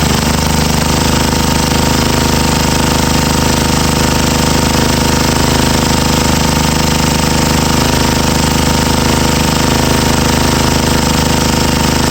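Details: Old 12 HP Tecumseh XL single-cylinder engine, revived on a stand with a replacement carburetor bowl: a fast, even, pounding beat holding steady speed without stumbling, running normally.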